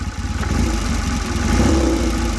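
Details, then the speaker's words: Cold Triumph 3TA 350 ex-Dutch army twin idling: uneven thump with fine metallic rattle from the fuel tank, not yet bolted on and resting on the frame; loose fuel tank rattle. "And that rattling, if you can hear it, is actually the fuel tank. Switch her off. So yeah, the rattling that you probably just heard there's a fuel tank, because it's not actually bolted on yet."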